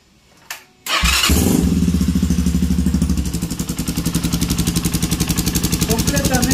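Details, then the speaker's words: Honda CB250 motorcycle, cold start after top-end repair with all new upper components, previously had a strange dragging noise only when cold: catches at once, steady even thump about four beats a second, no knocking, good top-end lubrication. "no tiene ningún ruido ningún ruido feo tenemos lubricación bien arriba y ahí está el el motor solo ruido de motor no hay más"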